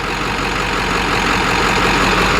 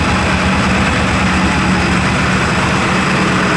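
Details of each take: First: Ford F250 7.3 Powerstroke diesel idling after a harness fix, running 15 psi boost; steady, even, crisp clatter with no misses or knocks, smoother and sounding like a 6.0: normal diesel idle. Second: F250 7.3 Powerstroke on first test drive after injector work, air being bled: loud diesel run with a slightly uneven lumpy beat, no boost; one cylinder missing from a miswired injector harness.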